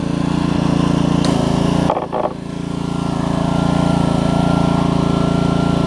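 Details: Troy-Bilt pressure washer with Honda GCV160 on a new HiPA carburetor, pump running after an obstruction was cleared by repeatedly pulling the trigger. Owner thinks it no longer makes 2600 but about 1500–1600. Steady single-cylinder beat under pump load, brief dip that recovers; runs well.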